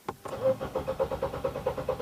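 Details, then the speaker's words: Nissan X-Trail with intermittent hard start: starter cranks evenly at about eight pulses a second without catching, a long extended crank; check engine and VDC/slip lights on; P0340 cam sensor circuit fault. "so we'll be in that long extended crank right um the check light is on right and the vs seal skid light is on right"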